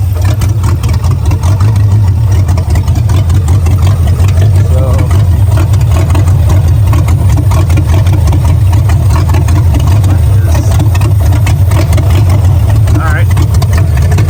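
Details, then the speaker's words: 1978 MGB V8 after setting timing and dwell angle: loud lumpy idle stumbling unevenly with occasional pops; backfiring at idle, though a little less than before; cause not confirmed. "right well it's a little bit better actually it's not quite as uh backfiring as it was before"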